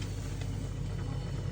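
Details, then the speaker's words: Daewoo refrigerator running after repair of a week-long hum and whistle traced to the fan, with clogged condenser and dirty compressor area to be cleaned: steady low even hum, no whistle or rattle, normal quiet running. "Всё подключено, всё работает, ничего не шумит, всё здорово."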